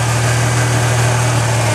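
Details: 1997 Ford Escort 2.0 SOHC four-cylinder idling just after a timing belt replacement: steady, even low hum with no misses, knocks or ticks, firing on all cylinders, "hitting right on"; normal idle after a successful repair.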